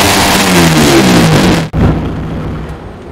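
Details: Motorcycle with BRT Super Bearing head just installed, after calibration and data input: engine revs up fast and cleanly in neutral, dropping back smoothly with an even, steady exhaust note; fast rpm rise credited to the bearing-type head; healthy free revving.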